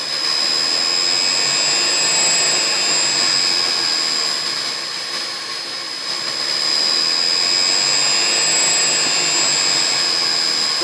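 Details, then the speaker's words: Pump station test, pump running with test ball valve open: steady high motor whine sagging and recovering as pressure oscillates between about 92 and 127 on the gauge; surging continues until unit is switched off, cause not stated. "And no doubt you can hear by the sound of the pump motor the oscillation. And this will continue until the unit is switched off."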